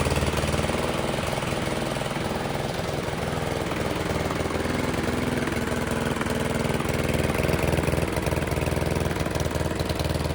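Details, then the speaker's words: Toro mower with Briggs & Stratton engine model 104M02-0010-F1 after reed valve replacement fixed oil leak through the air filter: uneven stumbling chug about four beats a second with surging pulses; carburetor issue suspected. "The motor itself's not running very well. Um, that sounds like it could be a carburetor issue, which is something I'll cover in a diffe"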